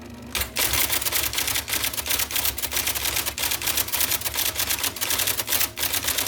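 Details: 1979 IBM Selectric II (non-correcting), revived after fixing a miswired plug and cleaning and lubricating; type ball impression knob set to middle: crisp, firm clacks about three a second over a quiet motor hum; normal typing.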